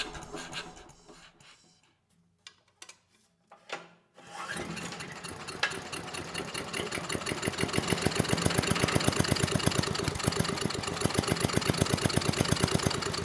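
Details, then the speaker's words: 1993 Little Wonder push leaf blower, 5 hp Briggs & Stratton flathead (model 135212-1216-E1), little or no compression: rough uneven running after a few pulls, never reaching full speed; bottom end sounds good, compression blowing out intake, intake valve suspected. "Well, that was kind of surprising. I did not expect the engine to start. You know, didn't run well, but it ran good enough to at least know that the bottom end sounds good."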